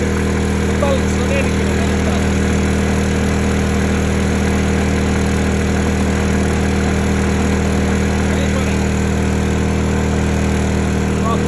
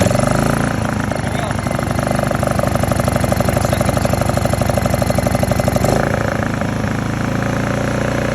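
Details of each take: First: Honda EU2000i (EU20i) generator back at idle after 500–1500 W load tests, following a stale-fuel rough-idle fix; smooth, even hum with a steady low drone, no surging or hunting. Normal idle. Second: Honda EU2000i generator after carburettor cleaning (brown gunk in fuel): small engine idles with an uneven, hunting beat around three pulses a second and a slight stumble; idle jet suspected but inaccessible, cause unconfirmed.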